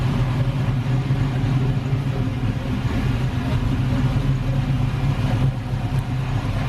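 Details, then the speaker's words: LS-swapped Camaro started for the first time, intake off, on a rough base tune: deep, steady V8 idle with no knocks, misses or hunting; the exhaust rattles where welding isn't finished, but the engine runs well. "it sounds good the exhaust is rattling right there we're finished welding it but it sounds good dude and it idles"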